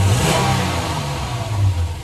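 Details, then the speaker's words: Toyota Tundra V8 with P0171/P0174 lean codes on both banks and lean misfire in cylinders 1 and 2; plugs, MAF and O2 sensors already replaced: deep, flat rumble that won't climb, bogging at partial and full throttle. "let me floor it all the way now still bogging down"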